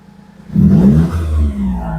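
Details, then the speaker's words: Perodua Myvi 1.0 petrol after VVT solenoid replaced and ECU reset, restarted: quick throttle blip rises and falls cleanly with no misfire/stumble (semput); no fault codes on scan; normal. "Alright, tidak ada sudah semput-semput ya."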